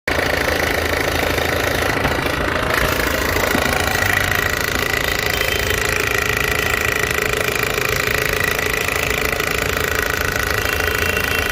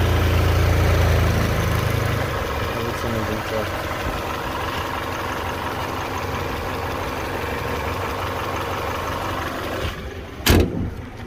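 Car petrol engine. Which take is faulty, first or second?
first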